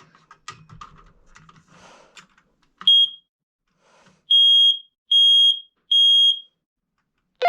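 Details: Basement smoke alarm, December monthly test: three loud, evenly spaced high-pitched beeps after the button press; normal test.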